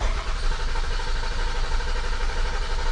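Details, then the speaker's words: 2001 Toyota Sienna, no-start after the underside was cleaned: steady starter churning about two beats a second with no catch; cranks but never fires, no check engine light on. "over no start"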